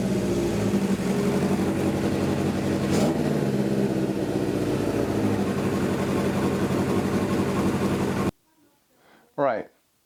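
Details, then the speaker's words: 1977 Suzuki GS750 four-cylinder brought back to life, running with air filters off: steady, even running, responds well to a brief throttle blip, no knocks or misses, then cuts out. "as you can see it ran pretty well was even able to give it some throttle and it responded pretty good to that"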